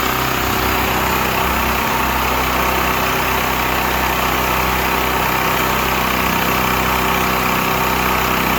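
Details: Used Stanley 8000 W all-weather generator, sat four years, running after a starting-fluid start, choke off; loud, constant drone at fixed governed speed with no surging or hunting, normal running.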